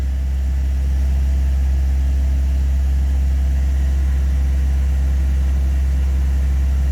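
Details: Classic carbureted engine with a distributor after a tune-up, timing reset to 8° before top dead center and temperature coming down: steady, even low idle with no misses or knocks, running smoothly.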